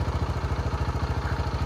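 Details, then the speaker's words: TVS XL100 BS6 silent-start moped, after reconnecting loose three-phase coupler that set blink code 21: quick, even idle putter with steady beats and no misses or knocks, warning triangle gone; running cleanly. "ಗಾಡಿ start ಆಯಿತು, triangle ಕೂಡ ಹೋಯ್ತು."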